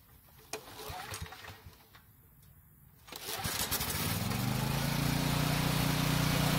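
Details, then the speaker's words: Generator with fresh gasoline pulls, pauses, then starts and runs steadily on full choke but dies instantly when the choke is partly opened; carburetor problem. "so as you just saw it started and ran just fine on full choke but the moment i turned the choke partially off it instantly died so we definitely have a carburetor problem"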